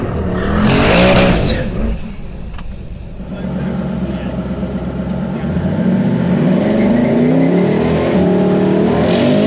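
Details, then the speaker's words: Twin turbo Hemi Dodge truck drag launch: a hard burst of revs, a brief drop, then revs climb fast without pulling as the tires break loose; the bump did not work, and leave RPM likely needs lowering. "I guess we're going to need to lower the leave RPM because it just blew the tires off"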